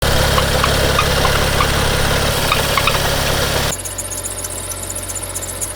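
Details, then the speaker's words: BMW 335i with N55 engine, running: a steady fast chatter rides over the idle at about four per second, then quietens; worn belt tensioner pulley and belt, which need replacement, typical around 70,000 km. "What's up everybody, the sound you can hear is from the tensioner pulley and the belt set, and that needs replacement. Actually, it's fairly common for the N55 engine around the 70,000 kilometer mark, so it's nothing to worry about."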